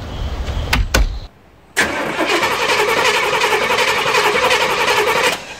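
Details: 1994 Chevy 3500 HD tow truck, big block with TBI, long parked, on a fresh battery: a couple of clicks, then several seconds of strong, even cranking that never catches; cranks but no start, no fuel delivery suspected.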